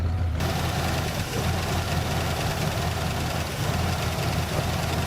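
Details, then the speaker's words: 1967 Buick GS 340 just started after sitting 15-20 years, cold: steady idle with faint light ticking, lifter noise; owner expects it to clear once warmed up and oil changed. "they got some lifter noise but you get her warmed up and change that oil they'll come right out of that crap"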